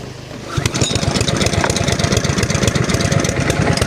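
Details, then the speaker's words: Honda GC160 5 hp engine on a pressure washer, water supply on, tipped over in use, spark good, compression 85 psi: starts into rough, uneven, choked-sounding chugging, as if choke on, bogging with no power; rich running from a severely plugged air filter. "Sounds like it's running with the choke on."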